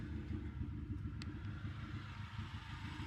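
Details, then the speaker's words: Petrol engine idling smoothly after a DMSO oil flush, with an even low exhaust rumble and no knocking; only injectors firing are audible. The lifter tick had returned during the flush, and a tiny noise remains when cold. "far as engine sounds go the only thing you can hear now is fuel injectors firing"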